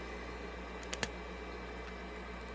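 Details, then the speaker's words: Red Bull VC206565008 Eco LED mini fridge, original Jamicon sleeve-bearing exhaust fan replaced, cover off: faint steady low hum with soft even airflow, no rattle or ticking, a couple of stray clicks; new fan running quietly. "Okay, that's already way quieter. And the cover is off. So, it'll be even quieter with the cover on."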